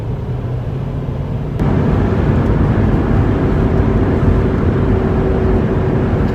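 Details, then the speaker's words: 1998 Ford Expedition 4WD at speed: a light, steady roar from the driver-side front, louder the faster it goes and faintly felt in the steering. Worn front wheel hub assembly, before replacement. "It's just a light roar, kind of just coming from this driver's side front end."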